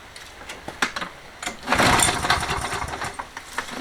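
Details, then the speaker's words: Toro 20789 mower, Briggs & Stratton Intek engine with hot-restart trouble: irregular backfire pops and bangs, never settling into a run, despite priming 4–5 times. "T'entends les retours de flamme et tout ça quand on essaye de démarrer. J'ai essayé de réamorcer 4 fois, 5 fois on va dire le carbu. Si ça fait rien d'autre, on va regarder le jeu aux soupapes."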